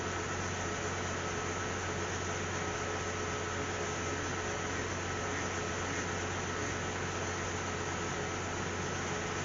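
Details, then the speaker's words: Cadillac CTS 3.6 L V6 with a cylinder 1 misfire, after spark plug replacement, heard at the rear exhaust. Smooth, even idle hum with no skips or stumbles; all cylinders now fire cleanly. "he sounds fantastic I'm pretty happy"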